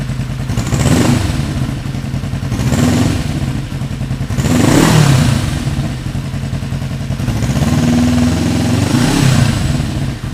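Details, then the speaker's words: 1975 Yamaha XS500 twin, left cylinder carrying the load at idle, tach reading off: idle rises and falls in slow surges, never even; carbs out of sync before sync and rejet, compression 140/150 psi. "ahead a little bit of jump so I'm going to tune it sync the carbs hopefully that fixes it"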